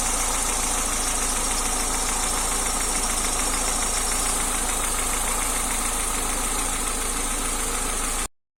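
Fast, light metallic clatter at about three or four taps a second over a steady idle, pointing to noisy valve gear on top. Cause suspected, not confirmed.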